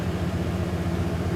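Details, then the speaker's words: 2001 Dodge Dakota 4.7L 4x4, 130,638 miles, that used to start then die; after cleaning the idle air control valve and restarting warm, it holds a low, steady idle hum with no hunting, stumbling or dying: normal idle. "there it is it started up slow went there and the engine's still hot so i try this again when it's cold but you can't see there it's still well whatever so let me just shut off and try it again so [Music] there it is all running"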